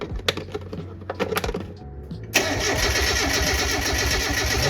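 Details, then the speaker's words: Turbo Miata on a standalone MegaSquirt ECU, first start after a months-long rebuild with fresh oil; the fuel injector relay is pulled so no fuel goes in while checking oil pressure to the turbo. A few clicks and clunks, then steady, even cranking with no firing. "I'm going to pull the fuel injector fuse which is right here that way we can make sure we have oil pressure before we try to start it up"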